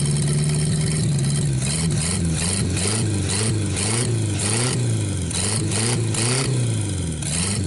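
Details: 1949 Buick straight-8, first start in years, with distributor cap and rotor from a 1950 parts car; low rumbling idle with gentle speed rises and dips but no knocks or misfires, running really good before running out of gas.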